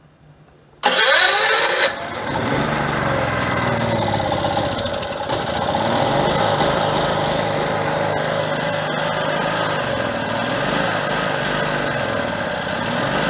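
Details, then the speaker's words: Generator converted to tri-fuel carburetor on propane, choke fully open, no load: single-cylinder fires up and settles into uneven hunting idle with irregular beat; not idling nicely, rough idle. "okay the choker is fully open it's not idling nicely and i need to put a load on it and see"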